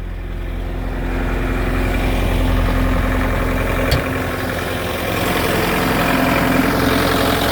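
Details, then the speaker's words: Bobcat skid steer diesel after battery terminals cleaned and tightened, fixing a clicking no-start; cold start, likely waiting on glow plugs, then settles into a steady, slightly rough cold idle with even low chug, no knocks, healthy. "oh she's a little grumpy yes you are cold well there it is it's up and running"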